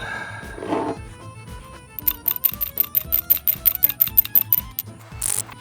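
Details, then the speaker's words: Old PCV valve removed from a 2013 Toyota Camry SE 2AR-FE engine, shaken by hand: quick, fairly even rattling clicks, about ten a second; it still rattles but sounds stiffer and more restricted than the new valve; PCV valve rattle. "oh I hear the difference this one I and I can feel whatever is rattling inside is a lot more free"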